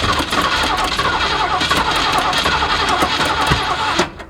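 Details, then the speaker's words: 1979 Ford F150 with modified 351 V8 after brake-clean shot: ragged, stumbling run, uneven firing, dies after about four seconds; accelerator pump not moving, carburetor suspected clogged or fuel pump at fault. Fuel starvation from clogged carburetor. "Starting to think we've got some issues with this carburetor or the fuel pump, one or the other. Accelerator pump isn't moving at all."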